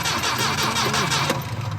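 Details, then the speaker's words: Saab 9-5 wagon with old fuel pump: starter cranks in a fast even churn that never fires; won't start because the failing fuel pump delivers no fuel, pump being replaced. "there's no nothing no pushing no hey how did that"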